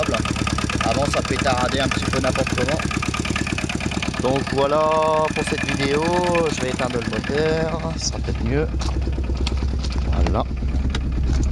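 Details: Axiam microcar with a Kubota diesel, for a starting problem, after preheat: catches and settles to an even, steady idle clatter with no misfire, music playing over it.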